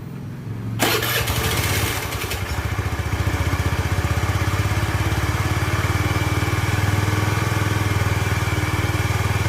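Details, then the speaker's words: Honda Spacy FI scooter after stage-two engine repair for smoking: electric start, then a fast, uneven, lumpy idle that never smooths out; idle problem remains, to be fixed in stage three. "Ini masih ada kendala di idle dan akan kita perbaiki di tahap ketiga nanti."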